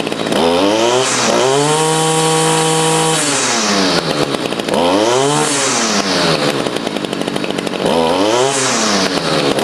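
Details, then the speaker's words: Stihl FS55 trimmer after carburettor replacement and idle adjustment: small two-stroke revs up crisply on each trigger squeeze and drops back to a steady idle without stalling; clutch working, engine healthy. "You can see it is idling now. I did have to adjust the carburetor. These carburetors never come set up properly from factory. But the clutch is working. We'll squeeze the trigger here, and you can hear this is a happy engine."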